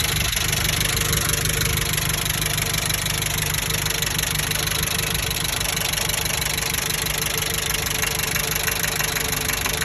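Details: 1998 Jeep Wrangler TJ 2.5L 118hp warm above 2000 rpm at half throttle: repeating knock about three a second over hissy hum; absent at full or zero throttle; oil pressure drops once warm after about 15 minutes.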